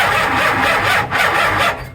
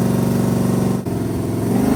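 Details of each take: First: Dodge A100 with a 440 big block, cranking on a weak battery through the ballast resistor: labouring crank that briefly stalls then grinds on, kicking back from too much ignition timing advance. Starter kickback from excessive ignition advance. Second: 440 V8 mounted in the bed of a 1967 Dodge A100 project, earlier smoking with no oil pressure: blipped through several rev swells that rise and fall cleanly with no stumble; all eight cylinders firing, normal running.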